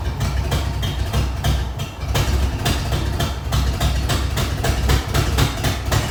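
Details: Ford 302 V8 newly installed in a truck, first start with fresh oil; uneven pulsing chuff about three times a second over rumble, owner suspects a loose exhaust manifold leak causing the rough idle.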